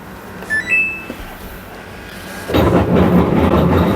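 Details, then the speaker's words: Samsung 7 kg top-loader washer on spin cycle with no water: a few control beeps, then a rough steady buzzing rattle from the drain pump running dry; noise disappears when pumping water, not the main fault (machine not spinning). "This is abnormal noise. It's noise coming from the drain pump because it's empty at the moment, empty."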